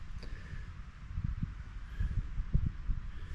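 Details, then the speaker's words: All-original 1931 Ford Model A coupe four-cylinder, running after fuel line blown clear and filter cleaned: faint, slow, loose low thudding ticking over steadily outdoors in a breeze, tractor-like; normal idle. "it's got the little for banger but I guess it's kind of a big for Banger it sounds like a tractor"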